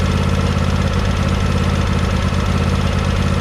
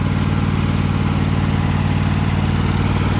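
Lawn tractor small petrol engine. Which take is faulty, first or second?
first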